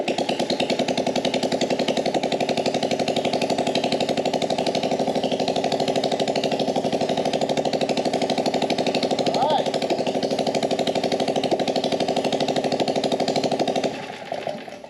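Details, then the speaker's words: Small single-cylinder engine on a gas Power Wheel build, getting no fuel to the cylinder (plugged main jet suspected): primed with flammable brake cleaner, it fires and runs at a steady, even beat, then cuts out. "let's just give it a little blast of flammable brake cleaner just to hear it light off hopefully it will and maybe that'll be enough to suck up suck it suck the gas up into the carb"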